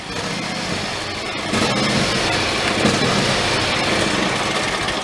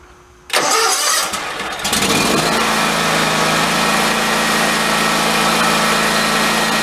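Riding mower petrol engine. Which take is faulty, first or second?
first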